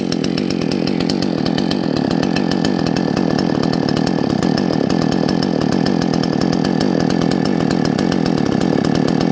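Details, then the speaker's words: Salem Master chainsaw during carburetor adjustment of the low and high speed jets: a steady, slightly muffled drone with a soft burble and no crisp bite, and a strong smell; the mixture is set way too rich. "yeah boy i got a way off oh she stinks yeah yeah that's why i'm running way too rich oh buddy okay way too rich"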